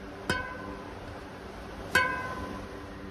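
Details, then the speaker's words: Rebuilt Farsports radial-laced front wheel, straight-pull spokes, in a wooden truing stand that amplifies the sound: single spoke plucks ring at the same clear pitch and decay alike; even spoke tension. "and so you're going to hear the difference in spoke tension. Now those two are pretty much the same. That's a little bit less tight."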